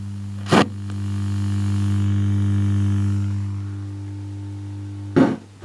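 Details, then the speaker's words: Wall-transformer power supply with single-2N3055 capacitance-multiplier hum suppressor (3300 µF at base) under load, output amplified to maximum through a signal tracer: loud, steady low hum with buzzy edge; residual mains ripple. "But you can hear the hum. And let's see what happens when we amplify via that signal tracer the output level, the hum, to its maximum."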